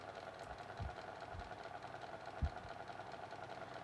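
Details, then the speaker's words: Micromark 9-inch fan from the late 80s, after servicing, on low speed: quiet steady hum with scattered soft knocks; a slight rattle remains, though less than before. "I know it's still got a slight bit of rattling to it, but don't think it's as bad as it was."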